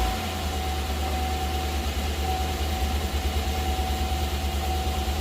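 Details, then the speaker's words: Chevy 5.3 V8 after full AFM delete and cam bearings, restart with no belt or accessories: steady low idle with even beat and faint whine, no ticking or knocking, good oil pressure; normal idle. "H sounds pretty good to me considering there's no belt no accessories nothing turning sweet think we got her y'all"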